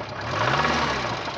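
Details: Renault 9 petrol engine idling with a steady rattly knock riding over the run; not critical yet, cause unconfirmed.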